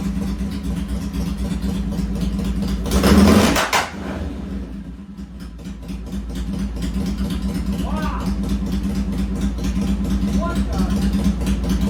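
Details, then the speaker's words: 1966 BSA chopper revved on the lift after cleaning pilot jets set 1.5 turns out: revs with irregular sharp pops through the exhaust, then lumpy idle; suspected ignition timing rather than carburetor, though new ignition's timing checked good. "Yeah, pow pow. Pow pow. That sounds more ignition Timing. than carburetor."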